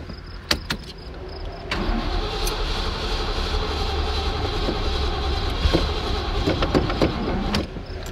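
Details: Ford Mustang broken down with dead battery: starter grinds, engine coughs and nearly catches but never fires; flooded carburettor.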